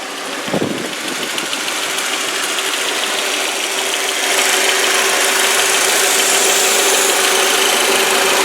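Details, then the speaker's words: 2001 VW Passat, believed to have a 1.8 turbo four-cylinder, idling: an even steady idle with a light fast patter and no belt squeal or knock; healthy, normal-running engine. "Alright, and as you can hear, it's a good running car. There's not any weird noises or belt squeals or anything like that."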